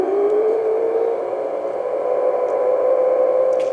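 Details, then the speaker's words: Loud hissing roar with a wavering whistle on an HF receiver at 160 meters, caused by a CCTV switching power supply; input filtering was improved but the violent interference remains. "Essa filtragem foi melhorada, mas mesmo assim ela ainda exibe essa interferência violenta."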